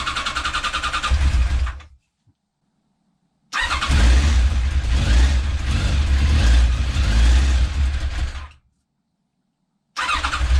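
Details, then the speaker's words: 1989 Kawasaki ZX10B after full restoration, first start on choke with fresh oil, coolant and fuel: catches and runs evenly a few seconds, stops, then catches again cleanly, no leaks; healthy first start, carb balance may be needed later. "that seemed to be quite successful. It doesn't seem to be leaking or anything. It sounds like it's running quite well."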